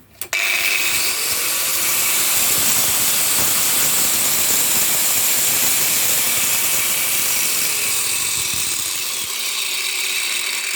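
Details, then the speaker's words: Hikoki angle grinder after about two years' use: high-pitched whine with rough rattling growl while running with a disc fitted; owner 99% certain the motor bearings have gone, likely scrap. "I mean you can hear that no I'm 99% certain the bearings have gone can hear it boed"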